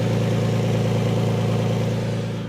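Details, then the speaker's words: Manual 5-speed Lexus SC300 held at a fast even idle, not revved; a puffing, ticking rasp rides on each firing pulse, coming from an exhaust leak. "But yeah, that noise that you're hearing is actually coming from over here. It's an exhaust leak."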